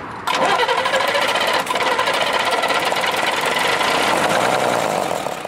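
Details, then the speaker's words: Restored Mercedes Unimog diesel with only 19 hours, about 103°F outside: cranks briefly, catches quickly without throttle and settles into a steady, even clatter; healthy start. "you really ain't got to throttle or much awesome somebody put a lot of money into it dude God that sounds solid"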